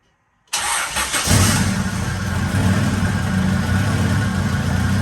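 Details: Acura Integra GSR with B18C1 engine, after thermostat replacement for a cold radiator hose: quick crank, catches cleanly and settles to a steady, even idle with no knocks or misses; sounds healthy, air-fuel reading rich at about 11.3–11.4 while warming.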